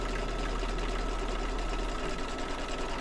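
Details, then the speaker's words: Embroidery machine after a small adjustment, rethreading and rehooping: quick, fairly even stitching patter about three per second with a soft low thump underneath; now runs much better, owner thought earlier trouble was the machine getting back to normal, possibly a dull needle. "but you know what it's probably my machine trying to get back to normal"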